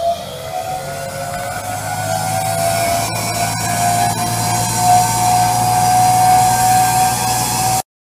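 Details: Ariston A1400WD washing machine motor (universal 220V AC) direct-wired to mains to run at maximum rpm: steady high whine of nearly constant pitch over a low hum, running smoothly and evenly at top speed.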